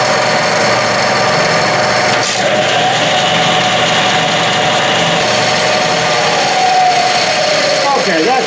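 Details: Clausing 12-inch Series 5900 lathe, 2 or 3 hp three-phase motor on a converter, clutch engaged driving spindle via nearly 50-year-old belts: smooth, even whir, steady mid-pitched tone, no knocks or slapping; runs normally.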